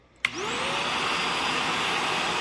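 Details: Shark NV355 vacuum after motor main pod replacement: a click, then a quick rising whine settling into a steady, even roar. Motor spins up and runs smoothly on first test.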